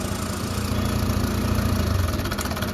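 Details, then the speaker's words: TVS Apache RTR 160 BS6 single-cylinder bike, used months in Hyderabad: loose tinny clatter over a low thump at idle that vanishes when revved and returns off throttle, from a stretched timing chain needing replacement. "Engine की आवाज एक बार आप सुनिए काफी ज्यादा आवाज काफी ज्यादा शोर कर रहा है"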